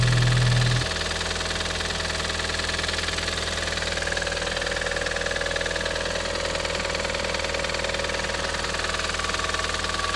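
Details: Audi TT 225hp BAM engine at idle: rapid ticking clatter at about four knocks per second. It is still present after replacing the lifters, chain tensioner and full timing. Compression reads 6.5 and 8 bar on two cylinders and 10 bar on the others. Cause undetermined.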